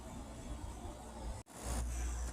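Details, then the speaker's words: Fedders 7500 BTU AC (3-row condenser and evaporator) after its dirty condenser coil was cleaned: after a brief cutout the compressor holds a steady, even low hum with no rattle. It has run a while and no longer gets louder as head pressure builds. Normal running. "Alright, this compressor sounds much happier now that that coil is clean. It's been running for a while and it's nice and quiet."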